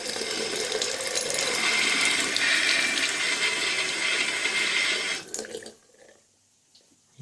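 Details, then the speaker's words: Household faucet after cartridge (kran-buksa) repair, previously humming and seeping: smooth, even hiss of running water with no hum or drone underneath, and no more seeping; running quietly and normally. "теперь не гудит. Видите, вода не сочится. До того вода здесь постоянно сочилась. И кран гудел. Теперь ничего не сочится. И ничего не гудит."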